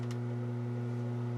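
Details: McIntosh MX110 (non-Z) tube preamp on a dummy load: steady low mains hum with a buzzy overtone from a failing filter capacitor section in the power supply, traced section by section.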